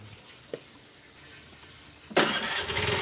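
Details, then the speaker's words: Honda Vario Techno carburetted scooter, engine overfilled with oil that rose into the carburettor and kept the new spark plug wet: starter whirrs but the engine never catches; ignition is normal. "makanya motor ini mengalami sulit hidup atau motor ini tidak akan bisa hidup walaupun kita starter sampai kehabisan baterainya juga masih tidak akan bisa hidup karena terlalu banyak oli."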